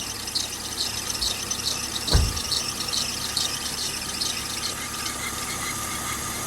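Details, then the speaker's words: Mercedes W204 alternator/accessory belt squealing at idle despite replaced idler pulleys and belt; sharp steady squeal with brief thump, quieted by water or silicone spray, likely belt rubbing pulley edge as tensioner runs belt at its edge; fix: tensioner replacement. "сразу тихо становится видно или водички чуть-чуть или можно побрызгать силиконом тогда будет тоже Тихо но я нашёл Мне кажется причину почему эта фигня У меня сейчас я вам покажу друзья что Меня смущает скрипит по-любому между ремнём и кромкой Валика"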